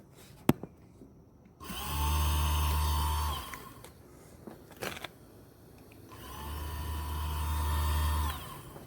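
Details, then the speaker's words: 1996 Land Rover Discovery ABS high-pressure pump motor hotwired to 12 V with a starter button: two short runs of even, steady electric hum starting and stopping cleanly, no grinding or belt-sander sound; normal, healthy motor. "here 's the motor it should operate smoothly it should not sound like a belt sander"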